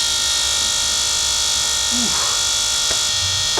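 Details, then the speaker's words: Newly installed Holley 12-1800 dual fuel pump on a turbo LS 1974 Chevy Caprice, primed before first start; steady, even high-pitched electric buzz with no surging or rattle, showing fuel pressure with no leaks, normal fuel pump operation. "Pump works. Have any fuel leaks? Nope, no fuel leaks."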